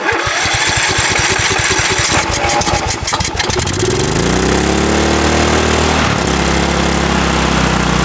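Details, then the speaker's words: 2006 Cub Cadet LT1045 riding mower, idle went high: choppy low putter quickly climbs to a steady high drone that never drops back, idle stuck high; governor suspected out of adjustment, not confirmed. "All right. So, it's definitely got to be this governor."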